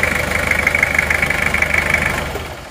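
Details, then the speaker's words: Toyota Kijang diesel idling before shutdown: even clatter with a light metallic ring, the "tang" noise said to be normal for Kijang; still considered smooth, then winds down at shutoff. "Tapi kalau ini termasuk halus ya mesinnya ini seperti ini."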